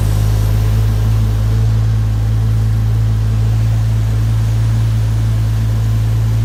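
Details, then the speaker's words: Toyota Supra that ran about two to three minutes: steady low engine drone with faint uneven puffing pulse as air escapes; owner thinks he found a major boost leak. "I turn it on and like I said the car burned for about two three minutes and then all of a sudden I think I found like a major boost leak"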